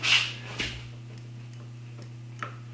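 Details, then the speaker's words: 2019 Ski-Doo Backcountry XRS, newly installed replacement brake micro switch after old one broke: sharp single clicks as brake lever is pulled, crisp over steady low hum; switch working properly. "just pull on your brake to keep it clear of the detent are you doing this great way and it's in and you can hear it click pretty short again"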